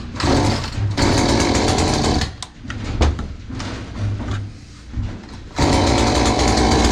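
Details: Hyundai 450 chainsaw after carburetor diaphragm replacement (previously revved briefly then bogged and stalled while cutting): fires and runs at a strong buzzy pitch, drops to a rougher low idle, then picks up cleanly; running normally.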